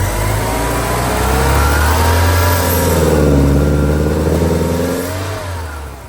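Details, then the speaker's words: 1984 Porsche 944 petrol engine starts and idles perfectly but stumbles and breaks up when revved, unable to rev past about 2200 rpm despite swapping fuel pump, airflow meter, computer and fuel pressure regulator. "start it up runs and idles perfect give it g gas starts breaking up ease the gas real [Music] gently and just that's what it does"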